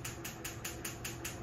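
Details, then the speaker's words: Coil A (cylinder one) spark test on a bench pulse setup with custom-soldered transistor coil drivers: crisp, even snaps about five per second over a faint hum. Bright blue spark, coil firing normally. "oh I don't know if that's showing up on camera but we're going to get a nice bright blue spark right there baby yes"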